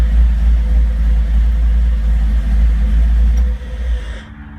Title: Rough idle